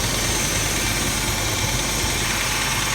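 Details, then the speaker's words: Idling petrol engine with a fast, light tick riding over the run; using a screwdriver as a stethoscope, the tick is traced to the timing set (timing chain). "We already knew that it's coming from the timing set down there."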